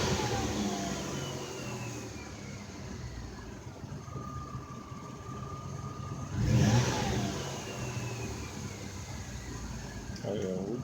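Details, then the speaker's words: 2004 Ford Escape after fixing a hard misfire with new spark plugs and a Time-Sert thread repair: revs up and settles back smoothly with no stumble; running smooth, no more misfires. "[Music] good Island so much better now so one minute later we got good reading is running real smooth no more one more misfires"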